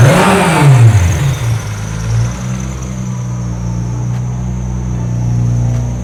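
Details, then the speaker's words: A Mitsubishi GTO with a swapped 6G72 turbo engine and SR single-turbo kit, on its initial startup tune only, blips up, then settles into a low, slightly lumpy idle with a faint high whir; it runs rough pending a proper tune. "This is only initial startup tune. We are going to tune it later to make it run better."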